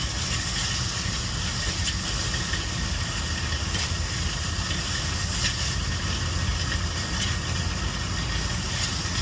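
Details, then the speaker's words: 2013 Ford F-150 4x4 driving: intermittent deep grinding hum under road noise as front hubs partly engage on acceleration; failed IWE vacuum solenoid and check valve, fixed by replacing them. "so I figured out what the problem was it was the four-wheel drive on acceleration was trying to engage and parsley engaging and making that noise which is quite a record"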